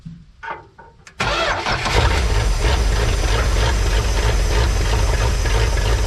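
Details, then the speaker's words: 1972 Plymouth Fury sitting about a decade, first start after carburetor rebuild with new gaskets and jets set two turns out: brief crank, catches cleanly, settles into a steady fairly even warm-up idle rumble, no knocking; normal cold start and idle. "let it warm up for a minute we'll let it sit here run warm up for a few minutes she actually doesn't sound half bad to be honest with you"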